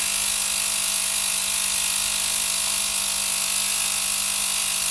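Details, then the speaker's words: VGT 1000 ultrasonic cleaner (35W, 40 kHz piezo transducer) after repair, transducer re-epoxied on mesh to the stainless tank: constant even high fizzing hiss over a faint steady hum; working normally. "So the machine is working. This is nice. Well, it's done. It's fixed."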